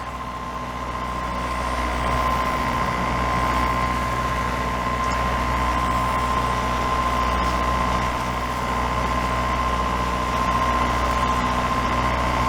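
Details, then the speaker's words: Formosa 41 sailboat diesel under way into a strengthening headwind as it turns cold. Steady low drone with an even beat and a constant tone, no misses or knocks, and no smoke seen; the engine is running well. "The wind's really picking up. but my engine's running good. I'm not seeing any smoke."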